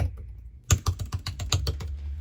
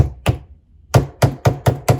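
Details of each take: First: the sound is quite reassuring. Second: Lenovo ThinkPad L14 (AMD Ryzen 7 4750U) keyboard: pressing heavily at the bottom right edge gives dull low thuds as the deck flexes down onto the table; top right better, cause unknown.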